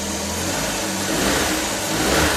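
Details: Suzuki K6A DA64V turbo after repairing a broken exhaust valve (had misfired and shaken badly): short burst of even revving, pitch lifting smoothly with throttle, no knocks or misses; engine healthy.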